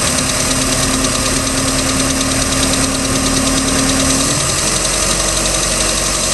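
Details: 3.0L MerCruiser marine engine, recorded at idle: a light, uneven tick about three per second rides over a steady, busy idle, present since the start of the season. The second owner does not know the cause. Engine ticking.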